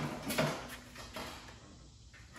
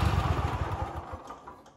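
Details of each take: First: Kohler KT735 7000-series twin on a Cub Cadet SLX50, running at half power, tested with spark testers; cranks, catches and settles into a lopsided chuffing idle, left cylinder not firing; dead cylinder, no spark, ignition coil problem. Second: Reference clip of a healthy Kohler KT735 7000-series twin; quick, even low beat firing steadily on both cylinders before winding down; normal running.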